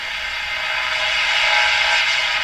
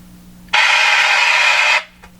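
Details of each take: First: Canadian Westinghouse Model 577 tube radio after capacitor replacement, during a check of suspect volume-control wiring: clear broadcast audio plays steadily with no squeal, dropouts or crackle, and the set is receiving and working normally. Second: Canadian Westinghouse Model 577 radio during capacitor replacement: sudden loud hiss of static for about a second, then quiet hum; intermittent crackle traced to a cold solder joint.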